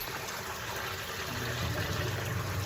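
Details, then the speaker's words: Basement sump pump whose switch intermittently fails and needs tapping with a screwdriver, currently working: low steady motor hum under rushing, trickling water as it kicks on and drains normally. "So I'm sitting in my basement because what you can hear in the background is my sump pump,"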